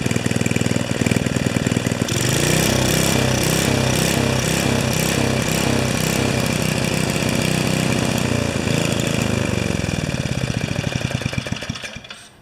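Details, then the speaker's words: 5HP Sno-Trac snow blower single-cylinder engine on its third or fourth carburetor: pops steadily but speed swells and sags over several seconds; still surging, though less than with the previous carburetor, cause undetermined. "that's the third or fourth carburetor on this machine and it's still surges but not as bad as the last one"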